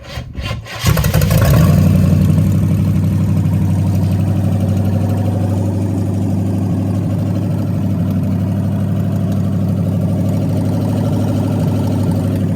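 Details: Holden HZ one-tonner engine, first start in about six years; brief crank, catches within a second, then settles into a steady, even idle that keeps running with no misses.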